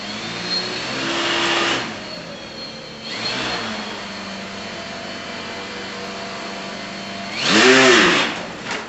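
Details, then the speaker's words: Hawkeye II aerial photography RC plane, propeller fitted, given throttle to climb: electric motor whine swells with each throttle burst, pitch climbing then settling, smooth and even with no roughness; healthy brushless motor. "So to climb, I'm going to do two things. I'm going to pull back on the stick, pull up, and I'm going to give it throttle."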